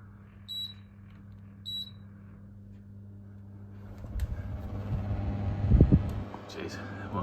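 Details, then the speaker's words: Old Airwell split system service call for not heating, set to cooling for testing: outdoor condenser fan starts with uneven rattly low roar and rough bursts; fan runs noisy, suction pressure very low, suspected low gas. "fan runs but it sounds like garbage so I'll Chuck up the footage"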